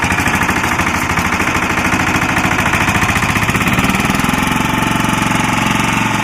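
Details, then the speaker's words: Lombardini 6LD260 air-cooled diesel driving a traffic-sign generator, cold start after 10 years unused, run on fresh fuel from a remote tank. Even, steady clatter with regular firing at constant speed, smoking a little; running normally. "Seems to be running up against the generator. It's not horrible noisy. It is smoking a little bit."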